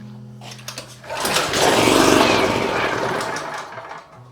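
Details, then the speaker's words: Champion 4000 generator, choke on and fuel valve open: it fires with a ragged, rapid chuff, rises briefly, then fades and dies within seconds. There is spark, but the carburetor cannot maintain fuel supply; a carburetor replacement is planned. "so obviously we're getting a spark you can hear it'll fire up but it will not maintain a sufficient fuel supply to keep running"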